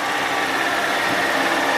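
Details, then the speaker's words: Roaming Home RV motorhome engine, dormant over 20 years, now on a rebuilt 1-barrel Rochester carb with fresh gas from an electric pump, choke held closed, warming up. Steady, even idle with a smooth hum, no knocks, misses or smoke. "let it warm up let's hear what it sounds like out here nice [Music] no smoke nothing crazy that is awesome"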